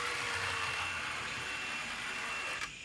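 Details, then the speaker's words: Santa Fe model train locomotive, taken apart and reassembled, on track: thin steady high-pitched whine with light buzz while crawling slowly, a bit noisy but runs smoothly and works fine. "front back we'll put it on the track just to show you guys what we got going on here see same thing very a little noisy but you know what I don't"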